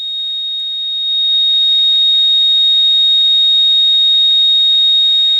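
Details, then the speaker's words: Radio receiver on lower/upper sideband at night: steady piercing high-pitched ringing, not a buzz or tone, over faint hiss; unidentified interference tone getting into the receiver. "it's almost into a like a ringing sound you know what I mean it's not like a buzz or a tone it's almost like a ringing"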